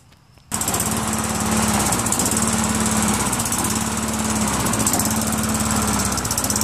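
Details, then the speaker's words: Tecumseh 5.5 hp single on a Craftsman Eager 1 self-propelled mower, after carburetor cleaning: fires up and runs with a slightly uneven, hunting beat; throttle spring is stretched too far and needs tightening. "how about that start it up needs a little adjustment on the throttle spring that's the spring a little bit too pulled out you know I've got to tighten that spring a little and then it should do it"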